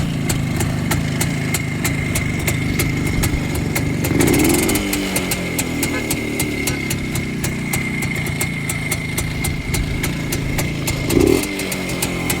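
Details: Restored Rajdoot two-stroke motorcycle after a full engine rebuild: cylinder rebored with oversize piston, run about a month locally to settle the piston, clutch-side and gearbox faults fixed, electronic ignition replacing points; crisp, even crackle at idle with light blips, runs clean and healthy.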